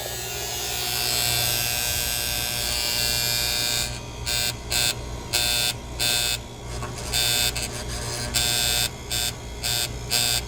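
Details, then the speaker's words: Outdoor AC unit on a warranty call, switched on from the thermostat: a steady electrical buzz as the contactor pulls in. Relay buzz from a loose cheap part, to be replaced with a 40 A single-pole contactor. "okay so it's just a little relay buzz that little cap some of them they come loose that's kind of a cheap part anyway so let's just replace that little thing and this will go away"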